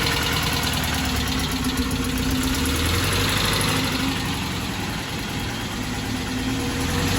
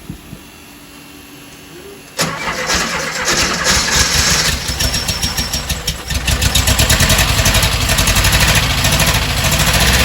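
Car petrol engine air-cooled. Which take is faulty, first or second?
second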